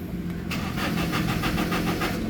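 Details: Toyota Innova, manual transmission: starter cranks evenly, about four compression beats a second, but engine never starts; fuel delivery (pump, wiring, lines) to be checked, cause not confirmed.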